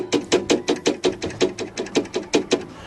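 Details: Old Parallax 7355 RV trailer converter charger, whose fan came on too often and made an awful noise: sharp, regular clacks about 160 a minute, like a fan blade or loose part striking something each turn. Cause suspected, not confirmed. Being replaced with a Parallax 8355.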